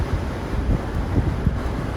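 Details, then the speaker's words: Toyota RAV4 Prime with Vanguard roof rack after fitting a larger custom front wind fairing: only a soft, low rush of air with faint gusts at cruising speed; low wind noise, almost quieter than without rack. "I think this is actually almost quieter than OEM. Quieter than if I did not have a roof rack. This is incredible."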